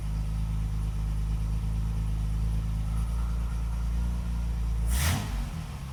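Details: Classic car after correct ignition coil, new contact breakers and condenser fitted, static timing set: low, even idle with steady beat and no misses, brief thump near end; idling properly, best it has ever run.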